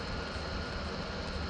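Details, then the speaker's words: PS4 Pro before servicing: constant loud airy roar like a jet taking off, steady pitch, fan running flat out far louder than normal. "Bunyi macam injit-injit hendak terbang"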